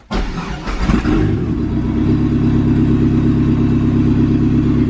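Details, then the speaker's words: Dodge Caravan with a swapped SRT-4 engine, first start in neutral with the clutch switch on the pedal: catches quickly and settles into a steady, even idle with a smooth low rumble, no weird noises; normal start and idle. "so in theory it should start and let's hope we don't hear no weird noises"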